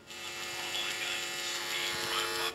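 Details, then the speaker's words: Marantz 7 clone tube preamp kit build, worst channel: harsh steady buzz with strong upper tones cutting in and out; hum picked up because sensitive parts sit near the power transformer, plus some AM radio pickup. "the manual did say that you need to keep the sensitive parts away from the power transformer because they'll pick up um potentially hum from the power transformer and I think that that is part of my problem"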